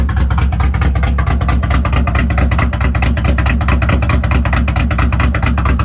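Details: BMW E36 M3 with 6-speed, formerly supercharged (Active Autowerks stage 2, now removed) but still on 42-lb injectors and hard to tune; freshly installed harness, now starts instantly but idles low and lumpy with skips, misfiring.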